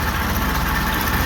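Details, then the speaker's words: Ferguson TO-20 tractor, idling after fixing valve tapping and screeching (oil now reaching valve rotators, pushrods turning): smooth even low idle with no ticking or tapping; belts noisy; normal idle. "okay got her purring you can't really tell the Fiat belts making a bunch of noise"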